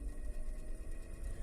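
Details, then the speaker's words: Antique GE fan, spec 272810, at about 120 V on low speed: steady low hum with a light airy rattle from the pressed aluminum blade, no scraping or knocking; noisy but normal, running fine. "now it is a noisy pan but you know that's because it's a pressed motor and it's got an aluminum blade and aluminum makes noise"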